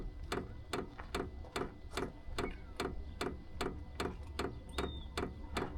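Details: Vevor 5kW diesel heater fuel dosing pump starting up, before the pump swap; sharp, regular clicks about 2.5 per second over a quiet background. Noisy fuel pump clicking.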